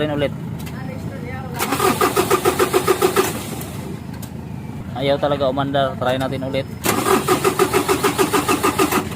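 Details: Semi-electronic engine: long bursts of fast cranking at about three turns a second that cut off and restart without the engine firing; hard starting with long cranking.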